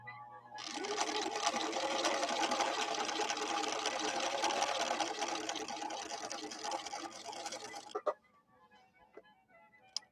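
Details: Late-1970s Viking Husqvarna 6460 Colormatic after several repairs, sewing a zigzag at stitch length 3 and width 3: smooth even rapid needle clatter at a steady pace with no knocks or binding; normal running.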